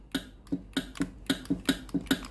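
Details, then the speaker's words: Philips GC9622 steam iron, reported steam dripping at the front and no steam: sharp regular water-valve clicks about four per second with no steam hiss; water pipe very hot but no steam at the front, suspected faulty solenoid valve. "Feel it, the water pipe will be hot, the water pipe is very hot, it seems that the steam is not coming out, no steam is coming out at the front of the iron."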